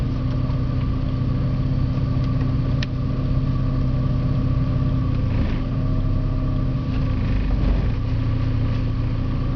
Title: Porsche 951 rough idle